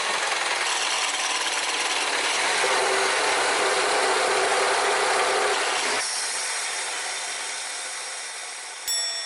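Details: R56 MINI Cooper S engine with a sudden fast, even mechanical rattle, about four beats a second, from the timing chain area; a foreign object was removed from under the head cover but the noise remained; a guide likely needs attaching; unconfirmed.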